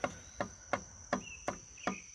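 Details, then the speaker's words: Homelite 150 chainsaw at idle, clutch cover removed: sharp, evenly spaced metallic clacks about three per second from the clutch, which visibly moves in and out; metal debris found; worn brass thrust bearings suspected, unconfirmed. "so i immediately looked at the inside of the clutch cover and that's where it had been running and even with it running you can see the clutch moving in and out"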